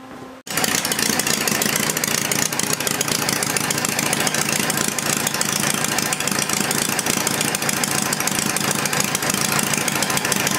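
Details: Homemade inline four-cylinder Briggs engine, running with head temperatures about 130–150° and later about 180° at the rear cylinder: after a quick start it settles into a steady, even buzzing run with no knocks or misses, running normally.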